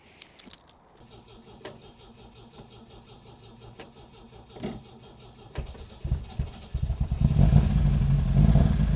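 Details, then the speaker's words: Supercharged MGB, first cold start after fitting a supercharger-specific camshaft and engine rebuild, before 20-minute running-in at 2,000 rpm: quiet, then cranks, catches and settles into a strong even run with good oil pressure. "Good oil pressure, which is good. Still very cold."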